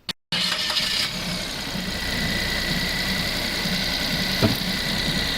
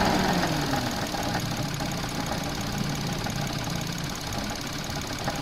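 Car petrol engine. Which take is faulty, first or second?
second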